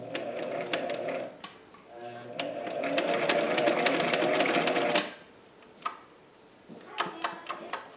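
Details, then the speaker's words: Singer 457 sewing machine before cleaning and oiling: stitching clatter starts slowly and builds only to about four stitches a second at full pedal, sluggish and not reaching peak speed; owner suspects lint or friction in moving parts. "as mentioned earlier I believe this machine is a little bit slow on the start and I don't think it's really reaching peak speed"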